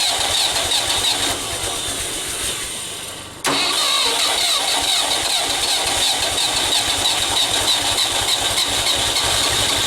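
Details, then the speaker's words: Old Ford 2000 tractor that sat for years, now with a rebuilt carburetor, new points and new ignition, at first start. It cranks, then the engine fires and holds a steady, fairly even idle with a bright exhaust note. It runs normally. "just want to hear it run so it's starting around"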